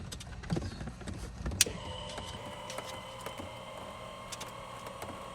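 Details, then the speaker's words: Trinidad TB20 grounded 15 years, flaps retracting back up. A steady, even electric whine holds constant pitch with no grinding or stutter; works perfectly, so the flap actuator motor is healthy. "Oh, how nice. 3351. Ooh, works perfectly."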